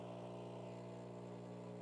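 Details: Breville espresso machine (Barista Pro/Express) pulling a shot, about 24 seconds to 38 g: steady, even buzzing pump hum with constant pitch, no rattles or surging; normal pump operation.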